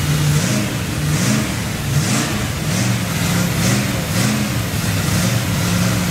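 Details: Freshly built Chevy 283 V8 first fire-up, unplugged vacuum port: loud idle hunting up and down, surging and stumbling instead of settling; big vacuum leak, sounded better with a hand over the carburetor.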